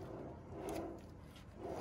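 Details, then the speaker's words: 1974 marine trailer hub after new wheel bearings, preload set tight then backed off about a quarter turn, spun by hand: soft, even whir with gentle swells, no grinding or roughness; normal bearing spin. "What I like to do with these hubs is I like to tighten them pretty tight to set the preload, and then I'll back it off sometimes like a quarter turn, just so there's enough room for this to spin. You can hear here a nice good sound."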